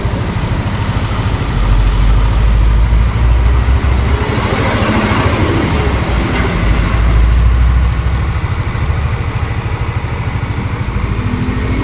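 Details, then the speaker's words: Yamaha Aerox scooter after engine teardown and repair of a clattering "klotok" engine noise: steady low idle thrum with no knocking, roadside traffic passing; engine smooth again. "nah oke teman-teman nah jadi nah sekarang mesinnya udah halus sekarang mesinnya sudah bagus kembali"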